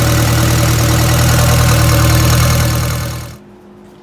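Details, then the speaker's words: 1962 Land Rover Series 2A 109, 2.25L diesel: steady low idle clatter with an uneven beat, about four pulses a second, before shutting off; a miss that appears once warm, smooth when cold. "you seen in the video that the truck is not running right at all there's a there's a miss in there whenever it's cold it'll run pretty smooth as soon as it starts getting warmed up it starts really running like crap"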